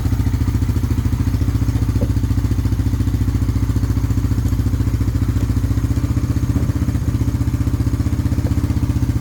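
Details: 1998 Honda 300 4x4 ATV, sitting for years, running after a Honda Foreman 450 carburetor was installed and the gas tank vented; single cylinder thumps in a steady, even beat at idle, no misfires or stumbles, no smoke. Normal running; later stalled, CDI suspected.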